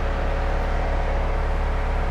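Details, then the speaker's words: BMW 135i under restoration, running after new Gates belt installed: smooth, even engine drone, steady low note, belt turning without squeal or chirp; sounds good, running normally. "oh hell yeah she sounds good let's see what we're doing up here though"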